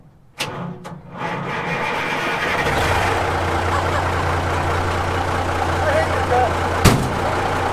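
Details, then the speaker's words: 1970 Kaiser M-813 5-ton military truck, first start in over 10 years on new batteries, cranked with no throttle. A few slow cranks, then it catches right away and settles into a steady, even low diesel idle. A clean cold start. "That son of a bee started right up, right now. Look at this baby."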